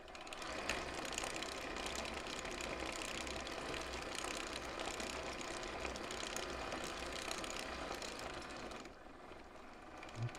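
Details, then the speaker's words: 1/6 scale Armortek Hetzer Jagdpanzer 38 tank, 24 V, road test on slow run: steady electric whir with even track clatter; noise from road wheels on leaf springs, only occasional slight bind. "just that again you can just see these wheels that's what's making the noise these wheels operating on the spring on the leaf springs"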